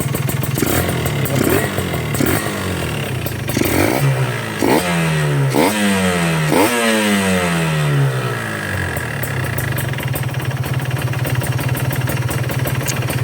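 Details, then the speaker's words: Two-stroke motorcycle, cold and not yet warmed up, demonstrating carburettor setting (dry at low rpm, wet at top): crisp blips up falling back cleanly, then a steady, even idle; carburetion sounds right. "Ya, sekarang ini belum dipanasin motornya."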